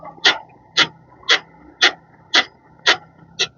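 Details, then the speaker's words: Fastback with 14,000 km, suspension worked by hand: sharp rubbery squeak about twice a second, quiet between; located at the control arm bushing, which the customer complained about. "E o barulho é aqui, ó. Ó, é na bucha de bandeja, tá?"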